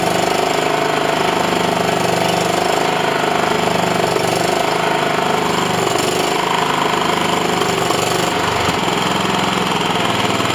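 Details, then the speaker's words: John Deere L110 mower engine after a carb clean without full strip-down and a second oil change; steady even putter at constant idle speed with no popping, backfire or misses. Normal idle. "Cool, no backfire or none of that. Runs pretty good."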